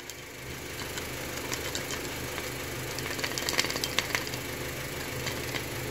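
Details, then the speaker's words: 2011 Honda City automatic, about 230,000 km, after engine flush, warming up: uneven light ticking, two or three a second, over the idle hum; noisy oil pump, badly clogged oil filter with something loose inside, risk of burning the pump. "esse filtro tá muito tupido a bem que trocou tem alum alguma coisa solta dentro dele ó perigoso queimar bomba hein por causa de um filtro né"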